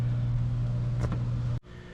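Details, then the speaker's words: Saluspa Coronado inflatable hot tub pump after one year of use: steady low electrical hum, even and unchanging until the pump cuts off; the normal running hum of this pump, which has had no issues. "Now with these pumps, you do get a little bit of the hum, as you can hear"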